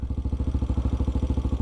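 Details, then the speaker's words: Single-cylinder bike with TBR7 exhaust idling at about 1,700 rpm: steady, even thumping about fourteen times a second, a healthy target idle; around 3,000 rpm is too high. "This is what it sounds like with the exhaust, obviously. But that's around 1,700 RPMs. That's what I would shoot for an idle on one of these bikes."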